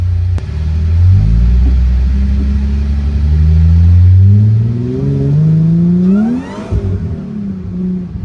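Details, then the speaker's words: Supercharged Mercedes SLK320 (M112K) making 13 psi boost, driving at light throttle: the engine note climbs smoothly with a rising supercharger whine on top and the rear end steps out; the supercharger engages properly. "I barely gave it any throttle, and you guys heard that supercharger whine, and my whole rear end went wah, wah."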